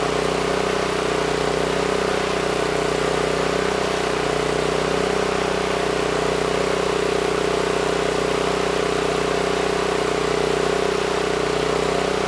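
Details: NorthStar 8000 PPG generator with a 13 hp Honda GX390, refueled, governor set screw adjusted to about 61 Hz (target about 61.5 Hz): steady even drone at constant pitch, no hunting or misses; holds speed smoothly; normal run.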